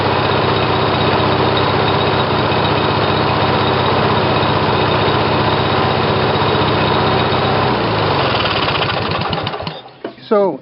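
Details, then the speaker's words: Briggs & Stratton 18 hp twin vertical-shaft engine (model 822707) on new LS2-coil ignition triggered by failed magneto; steady even firing at fast idle, no misses or knocks, then clean shutdown; normal running. "seems like the engine starts fine and and runs fine"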